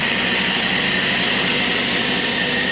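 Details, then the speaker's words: 1972 Ford F-100 240 six-cylinder automatic, revived after sitting in a barn since 1995: steady even running with no knocks or misses, healthy oil pressure, charging about 13.47 V. "smooth as this thing is there is no doubt it is running healthy oil pressure right where it needs to be"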